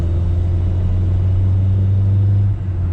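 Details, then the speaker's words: Toyota Corona 3S-FE after spark plug replacement, driving at about 72 at raised revs: even low hum without stumbles or misses; high revs were always fine, the jerking was at low revs, and it now runs normally. "รอบสูงใช้ได้ปกตินะครับแน่นอนนะครับก่อนหน้านี้เราสูงใช้ได้ปกติแล้วนะครับ"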